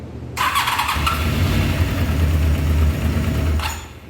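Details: 1993 Honda VFR750F, sitting over a year, carburetors cleaned and airbox off, first start: starter catches, fires straight away, then a steady even low idle with no misses; normal start and idle.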